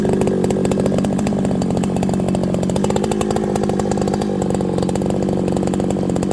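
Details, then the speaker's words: Farmertec 288 (90cc) kit chainsaw, fresh unbroken-in build, hot at end of first tank in green ash: steady clean high-pitched buzz at high revs, no misses or surging; running healthy and strong. "Thing's pretty strong, friends. Remember, it's not broken in."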